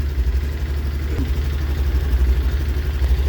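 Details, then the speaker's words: Honda Activa 125 scooter idling before throttle blips: low, steady putter with a light uneven patter; a washing-machine-dryer-like transmission whine is reported. "ses motor sesi şu an motor sesi"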